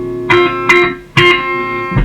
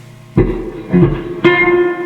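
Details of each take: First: Fender Twin Reverb, reverb turned up full with the footswitch shorted: guitar notes sound completely dry with no tail; reverb dead, circuit thought fine and faulty reverb pan leads or connections suspected. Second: Fender Twin Reverb, reverb full, tank hooked up directly with phono leads: three strummed chords each ring into a smooth lingering tail; amp reverb circuitry confirmed working, so the original pan or its tatty leads are at fault.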